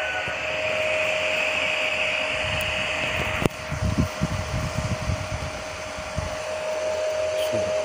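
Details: Home-built 15 A CT 55 power amplifier with four cooling fans, switched on via soft start: constant airy whoosh and steady mid-pitch hum from the fans, loud but even; normal cooling fan noise.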